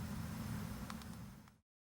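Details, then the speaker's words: 2002 Pontiac Grand Am SE 2.2 Ecotec, driving over bumps and railroad tracks after replacing the rear struts with Detroit Axle quick struts: only steady tyre and road rumble, no rattle or clunk; rear no longer bounces like a spring; rear suspension sounds tight. "Can definitely hear there's no more rattle. We'll see if you can judge the fact that it no longer bounces like a spring."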